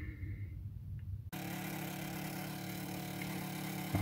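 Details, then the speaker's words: Lenovo Legion laptop, heatsink warmed with a hot air gun to force the fans on: quiet hum, then a loud, steady rushing roar with a low drone; very dirty, dust-clogged fans. "Okay, so we're back with this noisy fans, and as you can hear, they are really noisy."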